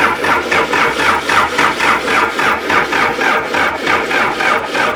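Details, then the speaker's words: Pond-sunk backhoe diesel after seven months: fuel reaches the pump with the hand lever full on, but the injectors showed only weak squirts and may be stuck. Steady, unbroken cranking at about 3.5 beats a second, never catching. Crank, no start. "ejectors could have stuck some from setting too, but I just didn't see a I saw some squirt here, but I didn't see a big squirt."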